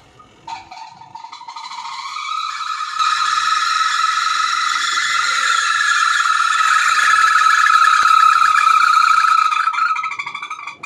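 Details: Semi-automatic washing machine during spin: loud rising whine with steady high squealing note that builds and fades; noise from dry, ungreased spin motor bush.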